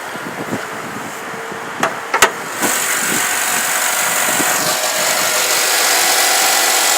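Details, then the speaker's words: 2008 Chevrolet Avalanche 5.3L V8, hood open at idle. A smooth, steady idle with fan hiss and no squeaks, groans or knocks; the engine sounds healthy. "as you can hear no odd squeaks or groans it's your typical 5.3 L V8 awesome engine"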